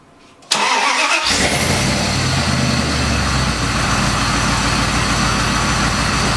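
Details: Dodge Dakota first startup after engine rebuild: short crank, then catches and settles into a steady, even idle with no knocking or ticking standing out.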